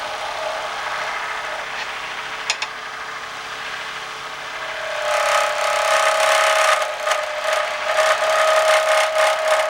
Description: Something is making a strange squealing type of noise when I'm turning pens on my lathe. Can't figure it out.